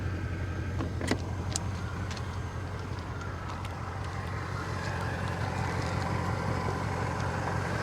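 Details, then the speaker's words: Mercedes with a damaged door and quarter panel, hood open. Low, even V8 idle with a steady beat and a few light handling clicks; the engine sounds good. Normal idle. "the engine does sound good oh it looks good too"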